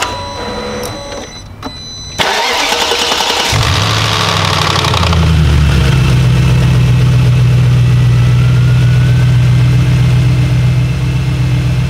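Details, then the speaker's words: BMW E38 740iL with M62B44TU V8 after timing chain replacement, with camshaft sensor fault codes (P0340): short crank, then steady, even, smooth idle with no shake or misfire. "with oil but this is normal right now the engine runs smooth in my opinion"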